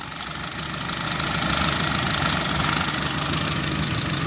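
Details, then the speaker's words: 1989 Suzuki Forsa that had misfired, burned too much fuel and lost power; after ignition adjustment it idles calmly with even firing pulses, no misses or hunting, and has its power back. "Sudah enak banget, Lur. Tenaganya sudah jos, kemudian mesinnya anteng dan didengar juga enak."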